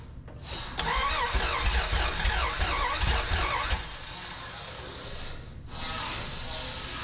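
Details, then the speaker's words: 1981 Dodge D150 cranks but won't start: steady rapid starter churning about three seconds, never catches. Fuel fill neck leaking; owner suspects fuel starvation; spare coil also being tested. "yeah we might have to sort out that fuel issue at the back make sure we can get enough gas in it before we can actually get it fired off because I don't think I'm I don't think I'm getting enough because State running by now"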